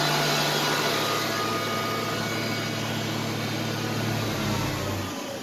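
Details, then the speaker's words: Electric 1-ton truck in neutral, alternator and electric motors spinning together as one: steady, even low hum with a constant tone, no knocks or surging. Normal idle. "Now the alternator is spinning, the electric motors are running, and all 3 of them are running together as one motor. This is what it sounds like when it's idling."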